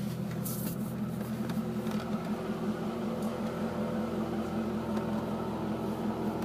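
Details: C5 Corvette: light, fairly even ticking at about two to three clicks a second over a steady hum, occurring only when the steering wheel is turned right; cause still unknown.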